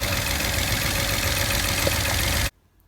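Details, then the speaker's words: Peugeot 107 / Citroen C1 / Toyota Aygo 1.0L three-cylinder, lacking power: rough, shaky idle with uneven beat, running on two cylinders with one misfiring, before coil packs are checked. "you can tell it's two and one of them is missing so I've got to find out which one it is"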